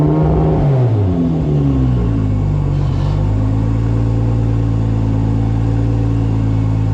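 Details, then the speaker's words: Top Secret Supra GT300, second run after engine rebuild, still to be run in before dyno tuning: deep, loud exhaust note sweeps down as revs drop, then settles into an even steady drone; no knocks or misses, healthy. "everything still has to run in so we're gonna do a few hundred kilometers running in the engine but this thing is purring like a kitten"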